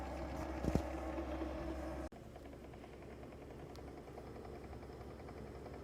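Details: Frigidaire Gallery refrigerator makes very loud noises at random times, audible from another room, persisting after two repair attempts: a loud deep droning hum with thin buzz cuts off abruptly, leaving a quieter fluttering running sound; cause unknown.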